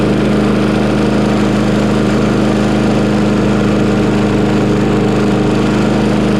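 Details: Mower on a cold start: smooth, even single-cylinder drone, no surging or misses; the choke flap opened in under 30 seconds as it warmed, now running properly.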